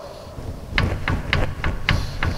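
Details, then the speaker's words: Brake lathe cutting head, arbor extended fully and lifted at its end to check for play: sharp metallic clunks, about eight in two seconds, each lift; play in the arbor assembly, adjustable or may need a part replaced. "I extend it as far as I can to get leverage and I'm gonna pick up on the end and see if there's any play in the assembly itself"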